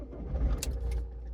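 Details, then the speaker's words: Alfa Romeo MiTo 1.6 diesel bought at auction, started after the glow plug light went off: catches quickly and settles into a steady low idle with no knocks or rattles, no engine warning lights; sounds healthy. "It started. Sounds okay."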